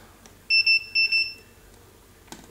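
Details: Godox SK400 II studio flash after repair of total failure (no power, blamed on high-power use and unstable mains plus a failed earlier repair): four crisp high beeps in two quick pairs, then quiet, ready signal normal.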